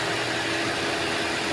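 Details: Wuling Confero idling with AC on after fitting a custom-bracketed Denso compressor, charged with two cans of refrigerant: steady, even idle with smooth AC hum, no knocks or rattles; compressor running normally.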